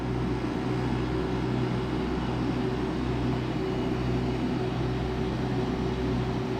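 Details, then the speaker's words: Duromax generator under load running refrigerator, idle microwave and window air conditioner switched to high cool; steady even engine drone, holds speed with no surging or misses: normal running under load. "next is high cool this will make the generator grunt just a little bit"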